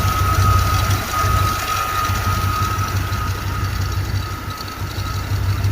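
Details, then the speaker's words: Chevy K1500 with a throttle-body-injected AutoZone reman 350, after sitting almost a year, at idle. A steady high-pitched squeal holds over a lumpy rumble from the front of the engine, heard for years. The owner fears a lubrication fault deep in the block; unconfirmed. "it's made that noise for years plural it sounds like it's coming from the front side of the engine"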